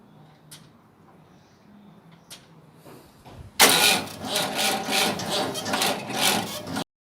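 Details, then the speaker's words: Massey Ferguson 1200 tractor diesel, first start after turbo and manifold refitted: harsh scraping rasp over diesel clatter as alternator fan fins rub the adjuster bracket, at first mistaken for alternator failure. "And the alternator bracket's catching. So we'll try again. I thought the alternator was breaking down then, but anyways, what it is, I don't know if you can see or not, but them fins, it's very close to that adjuster bracket,"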